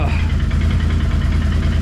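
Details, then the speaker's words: 2011 Can-Am Outlander 800 after a fuel pump and sending unit assembly swap, which fixed low fuel pressure that made it run like one cylinder: steady, even low thump at idle, no stumble or knock; it sounds normal. "sounds spoton as far as the way it's idling and Revan I won't know until I start hauling wood with it but I think uh I think she's good to [Music] go"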